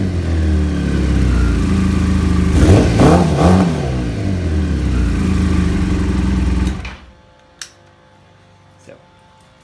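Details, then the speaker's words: Kawasaki ZZR600 streetfighter with ram air removed and Supertrap exhaust: engine blips up cleanly and drops back smoothly before shutting off, no misses or knocks; owner says it still pulls great; healthy running. "Although it's going to sound a little different because I've put on a different exhaust. I put on a Super Trap."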